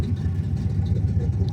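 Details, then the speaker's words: V8 muscle car project ("Orange Crush") running outdoors under its own power for the first time in over 2.5 years, throttle cable not yet connected: deep, lumpy V8 burble held a little fast, otherwise even and clean; idle set slightly high but sounds good. "idle's a little high, but she sounds good."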